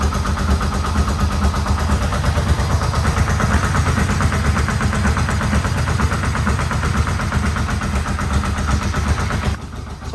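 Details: Yamaha Vmax engine, rebuilt from the frame up, first start after rebuild with no airbox fitted. An even, steady pulsing idle around 1,000 rpm with no knocks or misses; oil pressure is good. Normal idle.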